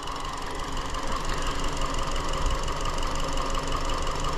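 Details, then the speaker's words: 2017 Hyundai Elantra 2.0L GDI non-turbo, intermittent P0303 cylinder 3 misfire caught while acting up: petrol engine idling roughly with an uneven low thump about three a second from the dead cylinder; coil 3 under scope test, bad coil suspected. "I'm so excited this thing's actually acting up it's a dead misfire too"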